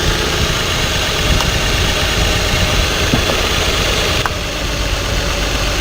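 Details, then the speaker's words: Idling six-cylinder truck with code P0350 and a flashing check engine light: as each of six coil connectors is unplugged the engine note changes, except the last one, which barely changes it, pointing to a cylinder 6 misfire. "presten atención a cómo el motor cambia cada vez que desconecto un conector y también presten atención que cuando desconecto el último conector prácticamente no hace ningún cambio"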